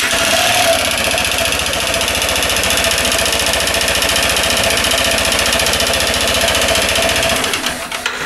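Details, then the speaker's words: 2012 Yamaha XMAX 125 single-cylinder idling after valve clearance adjustment: steady rapid metallic knocking in time with engine persists, top-end noise reduced; oil-consumption history, suspected small-end or big-end connecting rod wear, not confirmed. "mais pour moi le pied de bielle a soit le pied de bielle soit tête de bielle et marquer donc c'est un véhicule qui va qui va mourir petit à petit"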